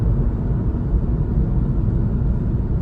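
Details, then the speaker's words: Test drive after resurfacing the brake rotors to cure a squeak with plenty of pad left: steady low road and tyre rumble with no squeal or chirp; the brakes now run quiet. "definitely worked no squeak"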